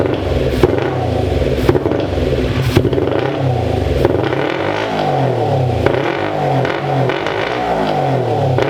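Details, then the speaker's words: 2001 Kawasaki Ninja 250R, carb float suspected faulty with one carb leaking fuel, run on starter fluid: the small twin revs in uneven surges with clattering and crackle and never settles into a clean idle. It runs rough and needs a carb rebuild. "Yeah, need some carb work, but woo! Yeah, we're gonna rebuild the carbs, get right back out here."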